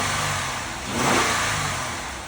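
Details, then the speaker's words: Auction vehicle started with a jump pack, running quietly; single clean rev blip rising and settling smoothly back to a quiet idle, no knocks or rattles; healthy engine revving. "Engine it sounds really quiet. Started up with the jump and like I said, moved backward and forward on this one."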